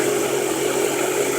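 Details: 2005 Honda Pilot just after starter replacement (previously single click, new battery): starts and holds a short, steady, even whirring idle with no misses, clicks or surges; running smoothly and healthy.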